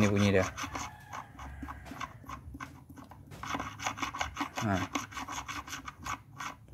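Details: Perodua Myvi gearbox: gritty, uneven rasping as shaft is turned by hand; engine runs with rough noise that vanishes when clutch is pressed and returns when released; gears fine, bearing rough and worn.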